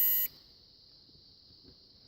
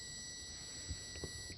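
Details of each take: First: Mopar E-body (1970–74 Chrysler) ignition switch on the bench, ohmmeter on the crank position: a short beep, a long silent gap, then another beep; intermittent continuity because of dirty internal contacts. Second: Mopar E-body (1970–74 Chrysler) ignition switch on the bench, tested with a beeping ohmmeter, crank and position-2 circuits: a steady high beep holds about 1.5 seconds, then cuts out; normal continuity.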